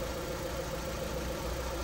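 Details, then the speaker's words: Honda Civic 1.7 (2001–2006) misfiring at idle with no check engine light; with the third cylinder's coil unplugged it idles with an uneven lumpy beat and runs worse, as coils and plugs are tested for the misfire. "agora eu vou tirar o terceiro selinho em tu viu como o carro piorou"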